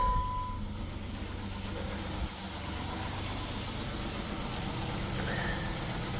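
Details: 2007 Jeep Wrangler after replacing a faulty oil pressure switch: steady, even low idle with no knocks or ticks and a quiet, unchanging rhythm, oil pressure light now out; engine running normally.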